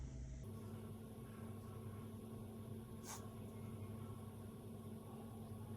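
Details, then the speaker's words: GE washer GTW460ASJ, lid locked, should drain then spin: steady low motor hum, motor trying to turn, no rising spin-up or drum swish; drum shakes with little movement but doesn't turn; drive belt off; also lets water in when it shouldn't. "See the drum trying, you know, see a little movement, but it's not turning."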